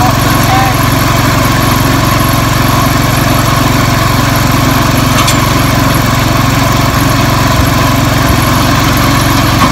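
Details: 1970s IH Cub Cadet 1000 tractor, single-cylinder, revived after sitting 20 years: steady, even chug at constant speed with no knocks or misses; running normally.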